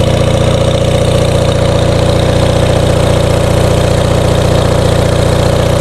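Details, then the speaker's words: Onan MDJE diesel generator under electrical load with bucket cooling still cold: even, steady thrum holding speed, regular firing, no knocks or misses; sounds good before another 2,000 W is added. "Sounds pretty good. Bucket is still cold. Now let's put another 2,000 watts on it."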